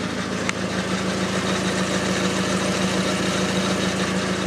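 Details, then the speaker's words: VW Jetta idling with the car on jack stands. A light, regular puffing tick about twice a second comes from a small exhaust leak, later located with soapy water. "alright guys so what i'm gonna do now i'm gonna jack up the car maybe put on some jack stands and i'm gonna check out where the leak is [Music] guys you can kind of hear it a little bit better now"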